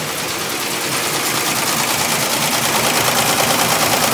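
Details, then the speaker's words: ZSK JF08 embroidery machine after replacing power drive that failed when rayon thread wrapped and seized the main shaft: fast even needle clatter about three strokes a second, no stumbles; sewing normally after repair. "It's obviously sewing beautifully. You can hear it from"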